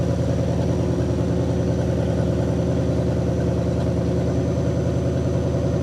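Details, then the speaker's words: 1960 Pontiac Catalina 389 V8 sat since 1985, while adjusting points dwell (target 30°): idle quiets, kicks up slightly and smooths out around 40° dwell, left there; deep, even idle, no stumbles or misses. "it really Smooths out at like 40° so I'm just going to leave it alone it did did quiet up the idle did uh kick up a little bit as well it smooth itself out"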